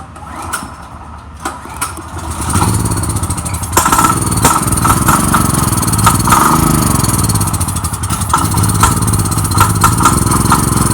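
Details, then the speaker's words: General RS5500 portable generator, generic 389 cc engine, running only on starting fluid sprayed into the intake or carburetor: it catches and surges unevenly, unable to stay running because fuel isn't reaching the system. It will need rebuilding. "will need to be rebuilt but it starts and it runs with the starting fluid but it doesn't stay on because the fuel is not getting to the system so i spray starting fluid right in here through the carburetor directly and it'll run"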